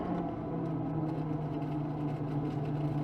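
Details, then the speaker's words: Very early Mark 1 BX after being out in the rain, ignition on, heater fan running. Steady whirring with an uneven warbling note: water in the heater blower motor. "That funny noise. Yeah, that's water in the heater motor."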